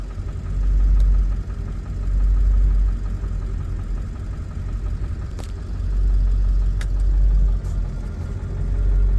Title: 7.3 Rough Idle, IDM code P1316